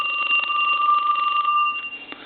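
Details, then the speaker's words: Western Electric 2554 mini wall telephone, Harvest Gold, aged, rung: steady high double tone with rapid buzzy clatter trailing off unevenly; bell switch off and loose, ringer out of adjustment and needs readjusting. "his uh his Bell switch is off that's loose so we can't have no setting on his bail i think is bell maybe started taking the bell off"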